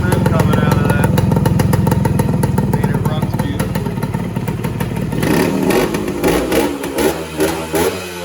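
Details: 1969 Yamaha AT1 Enduro two-stroke (500 original miles stated, 3500 in listing), carb cleaned and Autolube pump bled, kick-started: crisp steady ring-a-ding idle around 1500 rpm, blips up and back cleanly; healthy.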